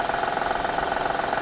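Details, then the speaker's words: Honda V6 with over 100,000 miles idling cold: fast, even diesel-like tapping from the timing belt tensioner, which goes away or lowers when warm and rises in pitch with throttle. "now in a honda if you have anything like over 100 thousand miles on this particular v6 that timing builds on it when it's cold sounds like this"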